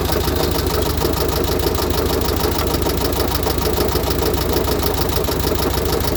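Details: VW Type 1 36HP, completely rebuilt, under 100 miles, valves adjusted correctly: light regular knock about twice a second at idle, continues with fan belt disconnected; owner asks if rod knock, hopes a loose oil cooler rattling in the fan shroud.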